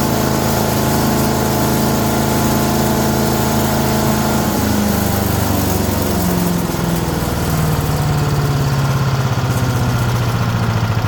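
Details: Chipper's older five-horsepower Briggs & Stratton single-cylinder, restarted with light choke after pull-cord repair, freed valves and air cleaner refit: steady thrum dips slightly in speed, then holds an even, unbroken beat; engine running healthy.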